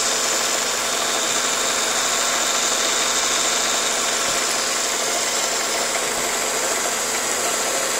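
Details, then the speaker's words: 2000 Ford Focus idling rough with vibration and a faint light tapping or knocking low in the engine, after MAF sensor cleaning; cause not pinned down; idle tapping and vibration. "as you can see here not sure if you can uh actually tell in the video or not but it's uh vibrating I don't know if you can hear his pass almost sounds like a tapping or a little knocking down in there somewhere"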